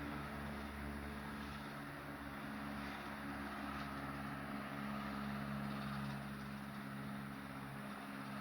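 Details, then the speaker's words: Late-1910s/early-1920s Marelli Bisa 12-inch oscillating table fan on low speed: steady, even low hum with a soft, smooth whir and no rattle or scrape; a nice slow, healthy low. "well it's got a really nice slow low"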